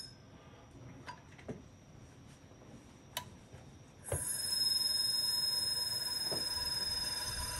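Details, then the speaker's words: IBM XT 5160 10MB hard drive on a 12 V bench supply: scattered clicks then a high whine at power-up, pulling about 4 amps, that never winds up to speed; unhappy-sounding bearings, drive fails to spin up. "Ooh, 4 amps, no go."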